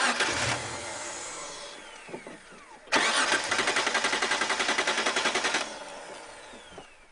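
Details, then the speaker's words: 1991 Mitsubishi Pajero that stalled and won't restart, fuel cap off, held on the starter: even cranking for nearly three seconds, never firing. Spark seems fine; vapor lock is suspected and the fuel return line is being checked. "oh we've got a bit of a stoppage here um the progero's stopped and won't start again feels like a vapor lock or something"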